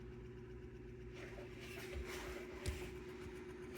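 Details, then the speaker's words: Fan on high with blades on, new capacitor fitted and motor oiled: low hum with uneven, labouring rumble as it stops then struggles to turn, running very slow; cause unknown, not capacitor. "turn it on high look stopped oh now it goes struggling it's struggling badly very badly"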